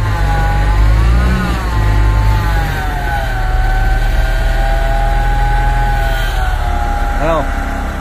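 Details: MAN diesel dump truck, started after repairing cut electrical wiring and fitting a new battery, check engine light showing; revved straight after start: pitch rises and falls evenly, no misses or knocks; normal revving.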